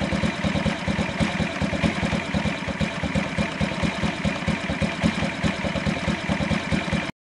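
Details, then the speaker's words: 2003 Honda Ruckus scooter single putters at idle with loping, uneven beats after a fuel pump and fuel filter replacement. It is wetting the spark plug, and the owner suspects the carb jet was drilled out too far. Running rich, flooding. "all right so I replace the fuel pump and fuel filter and now I'm getting too much too much gas I mean it's give me a wet spark plug so I'm thinking I drilled that jet out too much"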